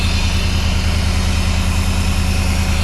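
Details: Off-road buggy "4 Lug Thug" idling after a new fitting, no leaks found; even low rumble at steady idle, regular pulse near two per second, no misses or knocks; idles healthy.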